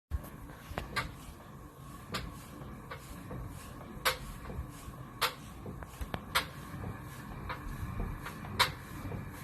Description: This is a quick video of our 9 month old pro form cardio hiit pro with silent magnetic resistance making a noise.